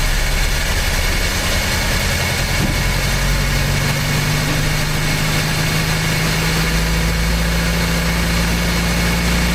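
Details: Old "800" truck engine, recently revived after the distributor was moved one tooth toward #1: steady, even idle with a smooth low rumble and no knocks or misses. Normal idle.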